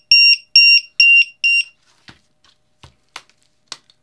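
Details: Lithium 1–8 cell battery tester with low-voltage buzzer, alarm set at 3.5 V on a pack with a cell below that: four sharp high beeps about half a second apart, then faint handling clicks; low cell voltage alarm.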